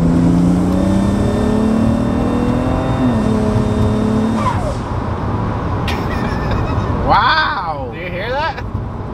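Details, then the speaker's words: BMW N54 E91 wagon on new VRSF exhaust, cold start and revs: thin high turbo whine over exhaust, chirping flutter on lift-off from blow-off valve; inlet suspected installed incorrectly, causing the duck noises. "yeah i heard like three different sounds exactly there's like a whining sound that's staying lit there's an exhaust yep and there's that duck you're talking about or whatever which is the blow off valve"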